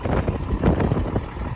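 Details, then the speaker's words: 2013 Freightliner M2 106 box truck with a Cummins 6.7 turbo diesel, 186,000 miles, on a very cold day. Steady low diesel idle with wind buffeting, no knocks, misses or hard sound. Normal idle. "definitely a healthy truck the engine sounds good doesn't sound hard or anything no major leaks underneath"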